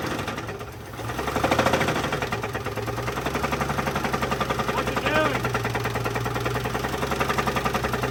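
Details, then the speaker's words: 1983 GMC S15 Jimmy 2.8L V6, not run in 15+ years, passenger valve cover left off long time: sharp steady knock about three and a half times a second over rough idle; rod knock suspected, not confirmed. "it's pretty loud on my side I think that's cuz there's a rod that's knocking on your side"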